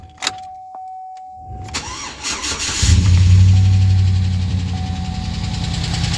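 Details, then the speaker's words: 2009 GMC Sierra 5.3 V8, first dry-run start before coolant was added, after replacing all 16 lifters with AFM replacement lifters because of a collapsed AFM lifter. A brief steady tick sits over the idle until oil pressure builds, expected to fade. "gonna tick for a second while it gets oil pressure [Music] it should go away pretty soon"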